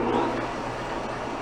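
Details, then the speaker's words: Antique metal-cutting band saw from estate sale, first power-up after move: low, even hum with soft whir, no knocking or grinding; runs slow, smooth and healthy, good speed for metal. "Nice and slow. That's good for metal. That's smooth. Yeah. What a nice machine."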